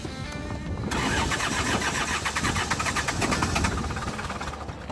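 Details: Diesel tractor that ran out of fuel, being bled with fuel welling up around the injectors and glow plugs in use: steady cranking at about four compressions a second with ragged puffs as it almost catches; hard starting from air in the fuel system.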